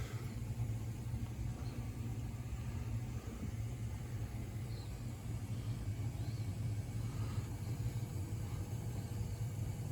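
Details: Gas boiler during a tune-up, firing before the gas pressure check and before it was fully hot; the two circulators run and the return piping comes back hot. Steady low burner roar with an even rumble, no popping, surging or whistles: normal firing.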